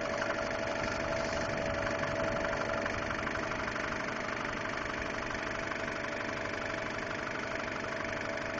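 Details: 2002 Subaru Impreza WRX petrol engine idling with a light, fairly regular tick over a steady mid-pitched hum; the ticking started about two weeks ago, cause unknown.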